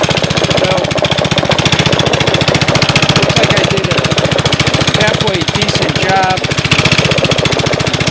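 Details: 5.5 HP Briggs & Stratton Intek with Comet torque converter, first start after carburetor clean, about 27°F: fast, even putter with evenly spaced firing strokes, no knock or miss; runs smoothly, no bad engine noises, carb functioning properly.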